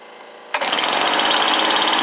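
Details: Stihl BR430 blower after a Hipa carburetor replacement, with the air filter in and the high idle screw turned about an eighth of a turn left: catches at once, then settles into an even, rattle-free putter. Normal start and idle.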